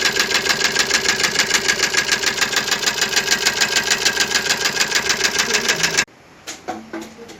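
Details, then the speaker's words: Maruti Suzuki Ertiga engine running with a strange internal knock, sharp even metallic knocking about three per second that stops when the engine stops; cause not yet identified. "जो alarms मैंने बांसवाड़ा कि यह Maruti Suzuki Hindi का है designer इसमें एक विचित्र आवाज आ रही है"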